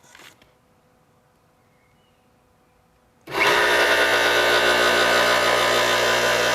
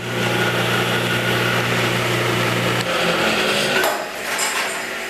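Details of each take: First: Replacement motor for a 1977 Craftsman 113-series table saw (original had burnt-out bearings), bench-tested on plug-in: silence, then starts cleanly and settles into a smooth, even hum with no grinding or rumble; runs healthy. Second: 1977 Craftsman 113-series table saw, first test cut after restoration: harsh, buzzy hum with an uneven rattle while running, then coasting down; blade free spinning because a part wasn't tightened enough at reassembly.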